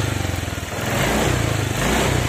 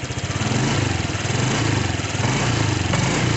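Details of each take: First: Honda Vario 125/150 scooter, spark plug never changed: snapping the throttle, revs stumble and pulse unevenly instead of rising cleanly; misfire (mbrebet) traced to a worn spark plug cap, not the throttle body. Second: Honda Vario 125/150 scooter after replacing the spark plug cap that caused hesitation: steady, even putter with no stumbles or surging; idles smoothly, back to normal.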